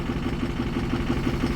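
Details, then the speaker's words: 2006 Ford 6.0 Power Stroke bought as a crank-no-start, now idling at about 900 psi high-pressure oil: lumpy idle with an uneven throb about six times a second; cylinders 7 and 8 not firing though all injectors passed the buzz test; cause unconfirmed. "as you can tell it's running extremely rough it's still showing zero low pressure oil"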